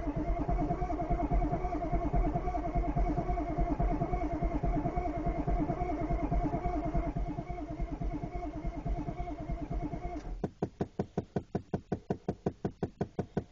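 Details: 1993 Chevy 6.5 turbo diesel one-ton dually on a cold start: starter turns the engine over with steady compression beats about once a second, but it never fires. Cranking no-start.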